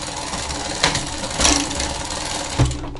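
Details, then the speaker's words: Bicycle after rear derailleur reinstall, with the low limit screw loosened to reach first gear, pedalling in the lowest gear: dry chain chatter and clicking with some clunks; owner suspects the B-screw adjustment is too close. "now that did it made it to first gear and it is a little noisy as you can hear"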